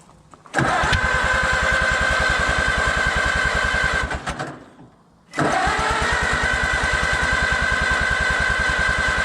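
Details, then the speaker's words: Allis-Chalmers WD tractor, first start attempt in 25 years after engine rebuild and carburetor overhaul, ether tried: two bursts of steady cranking that never fire; owner suspects no compression or spark, number 2 plug later found clean, no fuel smell. "It sounds like it ain't got any kind of compression, or it ain't got no fire. I don't think that starter's that kick ass."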